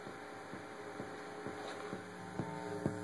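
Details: Dell Dimension sound card feeding an equalizer, receiver and speakers, song played at full volume: steady low electrical hum with faint ticking; source of hum unknown.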